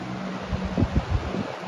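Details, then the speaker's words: Box fan on medium, measured at 0.81 A and 100 W: soft whooshing airflow over a low motor hum, steady with no rattle or scraping; fan running normally. "and it's high. Very powerful [Music] fan."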